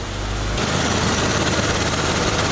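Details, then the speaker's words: BMW E34 barn find, sat 10 years, just after first start following a week of diagnosis: quiet, even idle with a steady low hum, no ticking, knocking or stumbling, no smoke. Normal idle. "there it is there it is no smoke at all and it's just idly"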